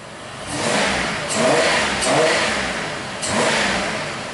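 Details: 1993 Buick Century 3.3 L V6 that fell on its face under throttle, revved with mass air flow sensor unplugged (substituted value): three clean throttle blips climbing and falling smoothly, no stumble or misfire; MAF sensor suspected.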